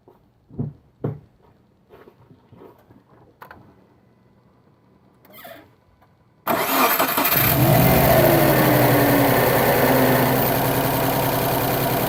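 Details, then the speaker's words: 2008–2014 Subaru WRX after a Cobb intake install (post-MAF, no tune), recorded from inside the car: the engine catches cleanly and holds a steady, even idle with a light rev; healthy, smooth running. "So yeah, that's how it sounds. I'm not too sure how it sounds in the front, but it sounds good from the inside."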